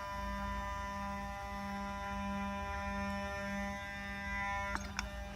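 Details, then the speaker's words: 1994 Mercedes 600SL V12: two repaired electronic throttle actuators at ignition-on, engine off, running their learning cycle. A faint hum with pulsing motor whirs in short even bursts, then two soft clicks as learning finishes; normal. "now we have healthy sound from morph units I'll get to this in a minute they're going to go through learning cycle now and go"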